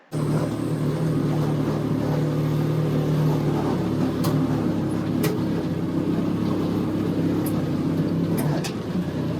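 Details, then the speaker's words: Go-kart with Duramax 420cc Honda-clone engine (rated 16 hp) driving a forward/reverse gearbox kit rated only 13 hp: steady engine drone with about five sharp metallic clunks as the reverse box disengages and the input gear chunks, not the chain jumping the sprocket. "It wasn't the sprocket and chain jumping, it was the reverse box disengaging. Like it wasn't even trying to spin the output gear. The input gear just kept chunking."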